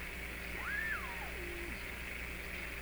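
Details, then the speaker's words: Hallicrafters S-53A receiver during alignment, on reduced B+ from a defective power transformer, with no antenna. A whistle sweeps up and back down over a faint steady 400 Hz tone: heterodyne interference from beating against a broadcast carrier. "so there's a heterodyne in there it could be because it's still picking up so the heterodyne is the pitch going up and down that's kind of an interference and behind you you hear a 400 hertz tone"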